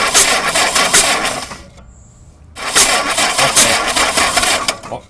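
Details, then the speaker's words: Old Jeep engine cranking with the number-one spark plug out and distributor cap off, finger over the plug hole: uneven cranking churn about three turns a second with a breathy puff each turn as compression pushes; rotor then points about 11 o'clock. "As you can see, if you could hear it, when you heard that noise there with the compression when my finger was over the hole, the rotor was pointing up about 11 o'clock."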